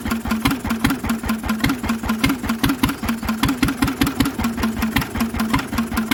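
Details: Lister engine on its first start in 40 years, on a little choke: slow, even exhaust beats about 2.5 per second with a noisy exhaust and no big-end knock; the old engine runs sweetly.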